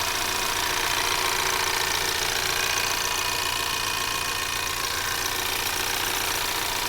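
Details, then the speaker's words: 2024 Ford Maverick XL AWD 2.0L EcoBoost, warm, steady idle, microphone in the engine bay: light fast ticking from valves and the pump over belts and alternator; normal, healthy. "so you're going to be hearing everything from the internals of the engine to a certain extent like the valves for example or valve springs potentially to the high injector or high pressure fuel injector pump"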